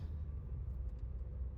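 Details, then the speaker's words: Audi A1 1.4 TFSI driving after front suspension and brake repair (shock, top mount or sway bar link suspected for earlier front-left noise): only low even road rumble, no squeal, knock or clunk; brakes and wheel noise fixed. "Everything sounds and feels perfect. Brakes are awesome. No more squeal or noises on the brakes. And that noise from the front left wheel is definitely gone."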